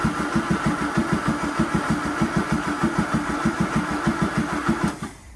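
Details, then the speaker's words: Land Rover Series 2A with rebuilt engine, makeshift wiring loom and gravity-fed fuel supply: steady starter cranking with even compression pulses for about five seconds, no firing at all; cranks but won't start, fuel, spark and earths checked, cause unknown. "Dead as a dodo. And the dodo was dead."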